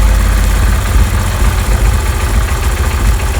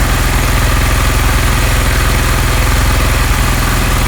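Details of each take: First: Honda CD 70 single-cylinder bike after carburetor air mixture screw adjustment: a steady even low putter at idle with no hunting, misses or stalling; normal idle. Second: Honda CD 70 single-cylinder carburettor mixture adjustment: quick steady beat at the highest idle as the mixture screw reaches the point of loudest sound; loosening further lowers the idle speed.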